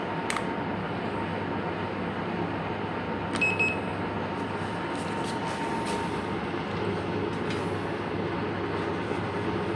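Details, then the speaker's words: Calor pellet stove (Italian-made), after repairing a SIC Fail overheat alarm, about an hour into the test run: steady even whoosh with a faint constant hum, no rattles or surging. "so that's work just had about an hour now and it's still very nice"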